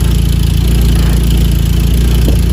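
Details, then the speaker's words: Mazda Miata bought for $900, just started; smoking from added oil, likely no coolant, oil pressure 30. Steady low idle with uneven, lumpy beat and wavering pulses; owner suspects vacuum lines or a bad EGR, unconfirmed. Rough idle. "The looks and the hear from it, I think there's a couple things wrong. Maybe some vacuum lines, or maybe the EGR is bad or something."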